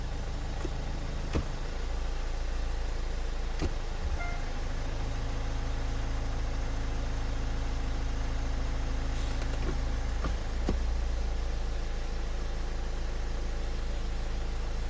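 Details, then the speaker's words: Hyundai/Kia automatic with plastic side pan, after transmission oil drain and refill, idling with brake on while shifted through gears before level check: steady low idle, brief dip and tone change on each engagement; normal. "And just let it run. You can hear the tone of the engine, pick up a gear, you can feel it."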